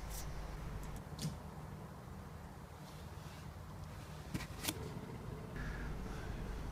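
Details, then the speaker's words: 2006 Nissan Micra (3rd generation): worn rear wheel bearing giving a low continuous rumble as the wheel is spun by hand, before replacement. "you can hear the bearing rumbling away"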